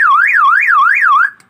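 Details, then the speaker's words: Aftermarket alarm siren just installed on an old Toyota Corolla KE30, pink wire to siren, negative temporarily on brake pedal: loud warbling siren sweeping up and down about three times a second, then cutting off; it sounds while the ignition is off, so the alarm works. "Nah jadi suara seperti ini ini dibuka nutup buka ngebet jadi dia akan berbunyi selama kunci kontak tidak on atau mesin mati"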